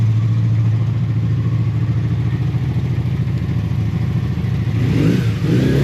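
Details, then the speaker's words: Honda motorcycle on full choke, with its float bowls drained and refilled with fresher fuel: starts first turn, holds a steady low idle and picks up cleanly on a throttle blip with no misses or knocks; normal running. "I think this needs some fresh fuel, but other than that it's [Music] fine."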